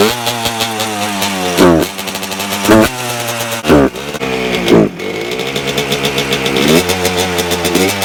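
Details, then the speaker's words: A 1992 Suzuki RM125 two-stroke runs after its carburetor was cleaned and refitted. Crisp revs climb cleanly on slow, gentle throttle, but opening the throttle quickly makes it stumble and bog. "so as you guys just saw when I give it like really slowly throttle it'll run good when I give it a good amount of throttle in the fast amount of time it bogs"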